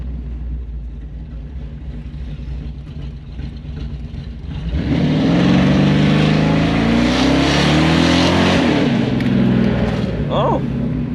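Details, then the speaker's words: Chevrolet Malibu small-block V8 after new top end, carburetor being street-tuned, temperature and oil pressure good, accelerating hard from a dead stop: pitch climbs, then wavers and stumbles partway up; engine breaking up under acceleration, cause unknown, didn't happen for the other driver. "so from a dead stop this thing's always been a pig so we're going to see what it feels like I'll know ready he broke up for me it didn't do that for Gordon"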